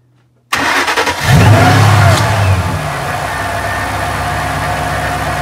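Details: Mustang restarted after smoke seen: catches quickly, brief flare, then smooth steady idle, no knocks or misses; sounds healthy at idle despite smoke concern.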